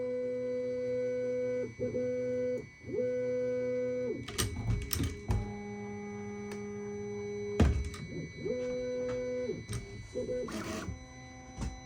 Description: My A1 has starting making a long beeping noise two times at the start of printing.